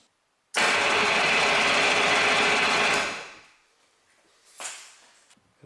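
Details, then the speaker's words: 1988 Yamaha Wavejammer after no-start fix (starter solenoid checked, CDI and coil grounds corrected), hooked to a strong battery: starter spins the engine briskly and evenly for about 2.5 seconds; cranking strong and healthy. "good strong battery on there get this motor turning okay so that fixes that problem"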